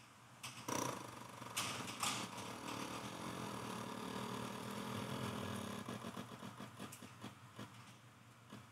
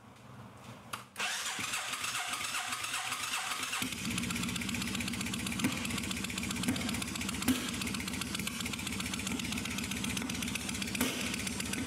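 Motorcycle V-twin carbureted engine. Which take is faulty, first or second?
second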